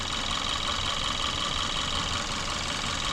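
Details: 2014 Kia Forte 2.0 GDI, code P0301: rough, uneven idle with stumbling beat and skipped firing beats; cylinder 1 misfire from a weak ignition coil.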